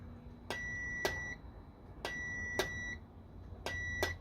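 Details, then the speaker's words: Pressure switch from a Kenmore 300 series direct-drive top-load washer, bench-tested with a multimeter by blowing into it: soft diaphragm click then steady continuity beeps, switch makes and breaks properly; pressure switch good. "so first you hear that diaphragm clicking and then you hear the circuit closing by the sound made by the multimeter so that tells us the pressure switch is good"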